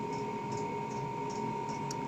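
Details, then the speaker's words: KROAK TB2 8 kW 12 V diesel heater running in a workshop: steady fan hum with a light, regular tick about two and a half times a second, the fuel pump feeding the combustion chamber; normal dosing pump ticking. "Ihr hört im Hintergrund immer noch dieses Klacken. Das ist die Pumpe. Die Pumpe befördert den Treibstoff vom Tank in die Verbrennungskammer."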